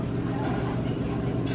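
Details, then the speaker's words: Electro Freeze machine after barrel pressure switch replacement, air vent pulled so the barrel fills with liquid: steady low hum with no knocking or rattling as the pump pressurizes the barrel normally. "Alright, so that means you are pressurizing."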